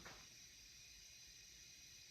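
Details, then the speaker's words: 2010 Subaru Forester parts engine, fourth leak-down test at top dead center: a steady, soft hiss of air from the oil filler, with little heard at the coolant. Air is leaking into the crankcase; the cause is not confirmed. "I got some air coming out the oil I don't really hear much coming out coolant"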